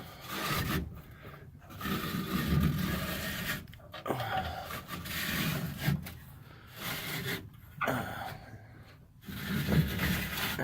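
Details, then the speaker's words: 1984 Dodge D150 door, after lubricating the internals with the panel off: dry rasping scrape as the window rolls down, the regulator still rubbing though about 50% better. "Alright, I'm going to attempt to roll the window down."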